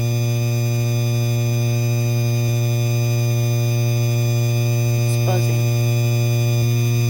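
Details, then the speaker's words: 52-inch Hampton Bay Landmark III Plus ceiling fan with light kit on: steady low electrical buzz with stacked overtones, constant throughout; the light kit hums, cause not clear. "You could hear you could hear that buzzing noise up a little bit down."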